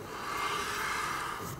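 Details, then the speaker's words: 1997-2003 Ford F-150 rear axle, rotor spun by hand with other side disassembled: soft even scraping hiss with faint ring; parking brake shoes lightly touching with adjuster fully backed off, acceptable. "see how you can hear them touch at all times now keep in mind the adjuster is completely adjusted it's bottomed out you cannot de-adjust them anymore and the shoes are slightly making contact with the rotor"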